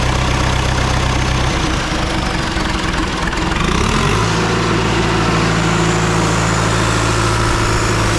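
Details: Rebuilt John Deere 2020 diesel started for the first time, on a jump starter with slow-cranking cables, some fuel leaks: brief stumble then steady even low thrum; started fairly easily, normal healthy idle.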